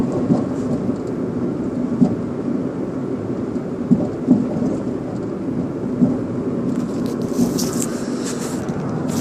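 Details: Car driving over bumps with dull knocks over road rumble from the rear passenger side, even on small bumps; fixed by replacing the worn rear shock absorber.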